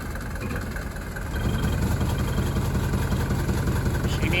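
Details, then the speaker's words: 1983 Mercedes W123 240D diesel: low clattery idle with uneven shudder about every third of a second; valves long out of adjustment, suspected fuel delivery, fuel timing and worn timing chain issues. "wonderful car but as you can hear a little bit of shutter coming from that engine"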